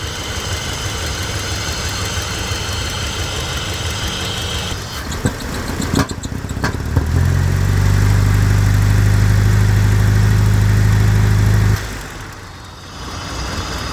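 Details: Mercedes W123, swapped 2.3 engine, K-Jetronic: when hot won't rev, backfires, lacks power; low idle lumps unevenly, swells, then sags and nearly dies; fuel flows and injectors respond, spark seems present; misfiring, cause not pinned down.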